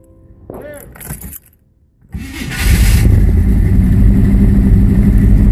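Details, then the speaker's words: 1984 Chevy C10 2WD short bed, first start at night after the transmission was reinstalled (flex plate had two snapped bolts and one loose, smacking the torque converter): brief cranking, pause, then a strong steady low rumble with no clunks; healthy start. "see if this bad boy will crank over you ready that just sounds good"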